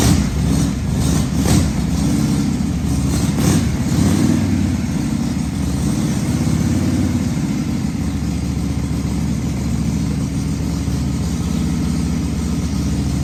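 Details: 1978 Harley-Davidson Shovelhead FXS Lowrider, first start after long storage with cleaned tanks, rebuilt petcock and carburetor accelerator pump: loose, lumpy V-twin potato beat settling into steady idle after a few blips, firing evenly; normal running.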